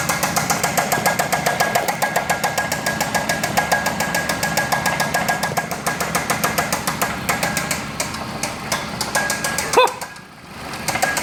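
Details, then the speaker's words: Chrysler 2.4 L running without coolant or water pump, getting hot: sharp metallic knocks about three or four a second over a thin idle, knock starting to quiet as it overheats. "Overheat your car, it'll make the tap go away."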